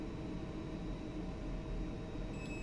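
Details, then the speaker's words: DIY transistor-driven speaker start delay relay for a car amplifier. Quiet hum, then a thin steady high beep about 2.3 seconds after power is connected, as the relay closes after the designed delay rather than instantly. "Kalau sambung terus, dia terus ada keterusan. Kalau sambung melalui transistor, dia akan delay beberapa saat"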